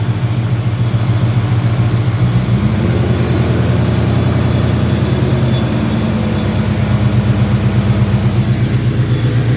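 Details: Car engine with uneven, lumpy idle and a loose beat, engine speed shifting then steadying partway through; intake vacuum leak.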